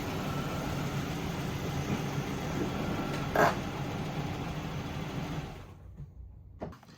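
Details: Volvo 245 out of storage, started after a no-start cured by wiggling a loose ground; car is leaking oil and needs a new battery: quiet, low, even idle rumble holding steady for several seconds; starts and idles normally.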